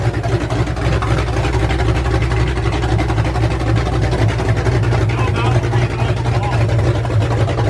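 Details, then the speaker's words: Ford F100 V8 with new aluminum heads, first start on open headers without a cooling system: loud deep steady rumble, no top-end ticking; sounded great, if obnoxiously loud. "i'm pretty stoked that sounded freaking rad with the the open headers went on i was a little obnoxious"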